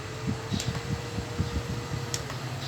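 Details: Pink mini handheld makeup fan after repair: it had been noisy and vibrating, with the blade rubbing the front cover; the broken blade was replaced, and it now hums with a steady mid-pitched whir and runs evenly, with a few handling clicks.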